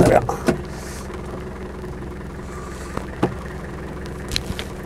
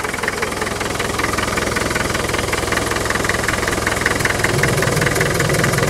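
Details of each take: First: Land Rover 110 turbo diesel County station wagon, almost 170,000 miles, warm: quiet, even diesel idle with door and handling clunks, not stalling or overheating; engine sounds healthy, though oil is burning off the top of the engine. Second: Diesel 2.5 TD at idle after a warm restart, open breather: hard rapid rhythmic clatter and pulsing chuff, about two or three puffs a second; heavy crankcase blow-by, puffing badly, which the owner considers typical of the 2.5 TD.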